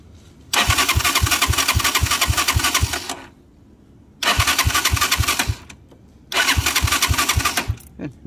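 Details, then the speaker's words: Motorcycle that chokes at 6,000–7,000 rpm and stalls, tested with spark tester after dying on road: three spells of steady cranking with no firing; no spark at all, won't start on battery, though it starts by kick. "tengo chispa no tengo chispa para nada vamos a volver a poner ok no fue la chispa"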